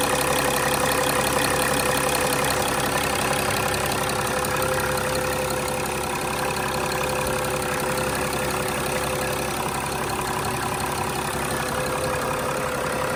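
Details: 2006 Mercedes E320 CDI, OM648 diesel, idling after the glow plug control module and fuel rail pressure sensor were replaced, no leaks found: smooth, even clatter at steady idle with no misses, surges or odd knocks; normal.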